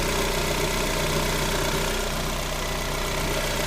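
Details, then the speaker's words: Lada Granta 126 engine after full overhaul, alternator belt loosened so the tensioner pulley no longer rubs the crank pulley: steady, even idle with a smooth low drone, no scraping or knock; normal idle. "Получается, натяжной ролик задевал шкив коленвала. И все, работа четко. Стука нет."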